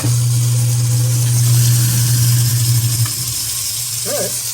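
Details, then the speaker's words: Newly installed American Standard 1/2 HP garbage disposal running with water draining: a smooth, steady low hum with no grinding or rattle, then a clean spin-down when switched off. Normal operation. "interesting should be working sounds good water's [Music] draining"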